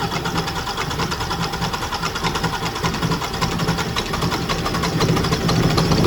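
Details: Scania R400 DC12 truck diesel after an engine rebuild for knocking (head off, cylinder damage): steady, even idle clatter with no knock, building slightly as it warms. Sounds healthy; normal idle after the repair.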